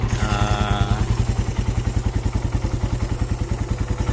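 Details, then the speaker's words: Raider R150 after installing a new stainless exhaust elbow: even, steady thumping idle with no puffing or ticking from the exhaust joint; quiet, no leak, normal idle. "Tahimik din. Wala naman siyang singaw."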